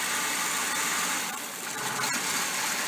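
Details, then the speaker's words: 2000 Ford Taurus, idling, DPFE/EGR test: solenoid grounded with test light wire, applying vacuum to EGR valve; idle turns uneven and hissy, dipping and stumbling, confirming vacuum hoses, EGR valve, passages and solenoid all good. "the solenoid should open, putting vacuum to our EGR valve and making the car run really bad. Might even shut off on us."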